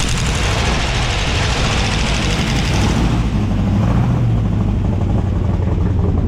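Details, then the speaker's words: Abandoned 1957 Ford Fairlane 500 with 312 V8, run with a stuck valve left uninstalled, on seven cylinders while driving; rough, uneven, lumpy stumbling beat under load: misfire from the dead cylinder. "we were going to try to put that valve in but we're thinking better of it let's run her on seven"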